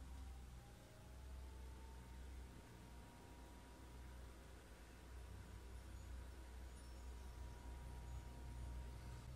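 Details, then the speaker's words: Chinese diesel air heater on a bench test at about 12.35 V, just primed: fan starts on pressing on, steady low whirr building as blower spins up, tone slowly rising before the fuel pump begins clicking; normal startup. "press the on button and you're here nothing there's a startup routine oh the first thing you're here is the fan starts you may hear that now"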